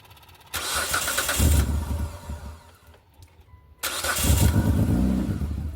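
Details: 2003 Mitsubishi Galant started with new exhaust pipe section fitted unclamped (front section possibly needing welding, gap of a couple millimetres at back section): brief crank, catches, settles into an even, steady low exhaust note with no leaks or rattles; runs fine.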